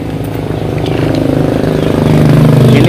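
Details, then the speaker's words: Suzuki Carry Futura 1.5 injection during a tune-up runs rough after DCS carbon cleaner was put in the cylinders, with a lumpy stumbling idle, revving and white exhaust smoke as the cleaner burns off. "Oke, mesinnya agak kasar karena cairan DCS, dan ada asap putih keluar dari knalpot."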